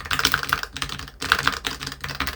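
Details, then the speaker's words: Budget AliExpress all-button leverless arcade controller: crisp, quick button clicks in short bursts, each ending cleanly with no rattle while rubber dots sit on the corner screws; removing a dot makes it rock and rattle. "you hear that super stable no rattle"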